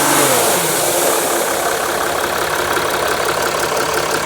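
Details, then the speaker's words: Mercedes GL 3.0L OM642 diesel, believed 2009 or 2010, towed in with intermittent crank-no-start and power loss, engine revved under the hood; strong rushing hiss rising with throttle: boost leak, seemingly from an intake tube. "Cameraman Matt is gonna rev up the engine for us so I can figure out where the boost leak is coming from."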